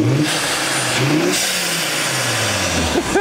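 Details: 2004 Volvo V70 R four-cylinder turbo after swapping the catless downpipe for a catalytic downpipe: revs up and back down cleanly with a much quieter, subdued smooth exhaust note, no rasp or drone; normal.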